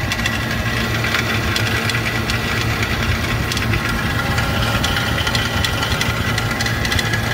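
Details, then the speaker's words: Walk-in cooler compressor on the roof, found during preventative maintenance: a loud steady hum with random rattling knocks, like rocks tumbling inside. It is failing internally, yet it still runs and holds temperature. "That doesn't sound good. There are rocks bouncing around in that compressor."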